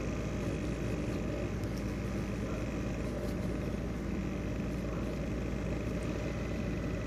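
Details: Worn CPU fan bearing in an ASUS X543UA laptop, now rattling: a steady, rough whirring drone with a dry grinding edge and no letup.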